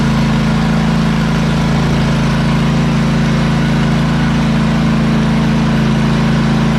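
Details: ZT200 zero-turn mower with newly installed replacement engine (same hp and rpm as the original, shaft adapted with a sleeve) running a loud, steady drone at constant speed with no surging, knocking or misfires; normal healthy running.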